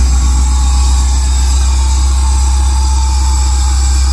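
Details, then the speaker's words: 1999 Chevy Tahoe with LS swap and Holley Terminator X Max, at idle after a second-attempt start; a steady high whistle over a smooth V8 idle from an incorrect throttle body and idle air (IAC) setting, about to be adjusted. "yeah usually the second time but hear that whistle"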